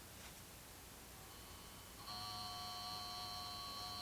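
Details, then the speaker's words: 1953 Chevrolet push-button tube car radio, model 986668, 6 VDC vibrator power supply on a bench with dim bulbs, input voltage ramped up slowly: quiet hiss, then a steady high buzz with clean whine as the vibrator starts. Normal vibrator operation. "I hear the vibrator running I turned it off so you can hear it turn on"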